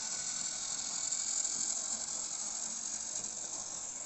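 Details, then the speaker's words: Jouef 040TA gear-drive model locomotive pulling a test train; fast, high-pitched, fairly even gear chatter, noisy but smooth; earlier hiccuping cured after running in. "It's a working locomotive. It's a very noisy working locomotive. What a racket."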